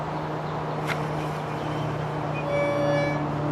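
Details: Mooncool TK-1 e-trike, front wheel lifted and spun: low hum then thin high squeal as it drags to a stop at the disc brake; temporarily fixed with brake cleaner.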